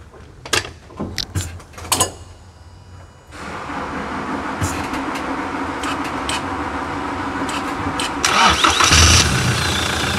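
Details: 2018 Toyota Hilux diesel after clutch replacement, service and suspension retightening, dash key-light fault found; clicks, cranks, catches near three seconds, settles into steady even run: normal engine start.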